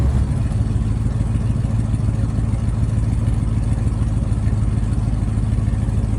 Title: Gasoline School Bus With Exhaust Leak Start Up & Rev (2020 IC CW W/ PSI 8.8L)